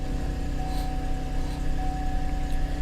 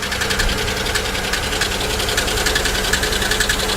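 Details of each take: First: Auction car listed as a no-start: it starts right up and idles with a steady, even low hum and constant tone, no misses or knocks. Oil pressure reads 70. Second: Used GM 3400/3100-type V6 at auction, idling: light quick ticking three to four per second over smooth idle; suspected collapsed lifter, possibly misfire or blown lower plenum gasket, water in oil suspected.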